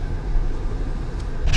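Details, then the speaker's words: 2015 Honda Pilot road test after wheel bearing replacement and axle nut torque, at about 40–60 mph. Only low tyre and road rumble is heard, and the earlier bearing noise is gone, so the wheel bearing is normal. "and now you don't really hear much okay actually you don't hear nothing right now"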